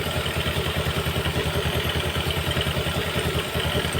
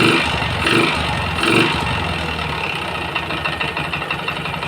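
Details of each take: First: Yamaha Jupiter MX single-cylinder after replacing the damaged piston/cylinder block parts that caused a kletek knocking; original connecting rod kept: even thumping idle, no knock or clatter; very smooth, healthy idle after repair. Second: Yamaha Jupiter MX that smokes and clatters after a service: after throttle blips it settles to idle with a light, rapid clatter, no piston-slap roar; piston problem suspected, later found damaged piston block and conrod.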